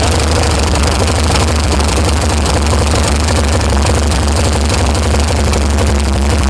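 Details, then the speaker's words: VH Valiant Ranger with a newly swapped 245 Hemi six, first start after direct power was run to the coil. It idles steadily with loud, fast tapping. The hydraulic lifters are tapping on first run, and the carburettor is leaking fuel. "you can hear that tapping really loud alright guys but that's a success"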